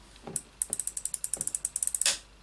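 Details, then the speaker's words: Shimano baitrunner carp reel; about twenty light clicks as the handle is turned, then a firm clack as the baitrunner disengages and the line locks, normal operation. "all we need to do is to either flip the lever to lock the line to allow us to pick up the rod and strike or turn the handle which disengages the beer runner leaver"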